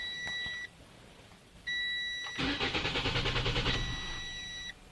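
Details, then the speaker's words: 2017 Toyota C-HR with newly installed SkyBrake contactless immobilizer with motion sensor, tag not read: warning chimes, about a second of steady cranking that never catches, chimes again; crank no-start as immobilizer blocks injectors. "Il fait alarme sonore signaux, maintenant je vais essayer commencer. La voiture que nous ne commencerons pas."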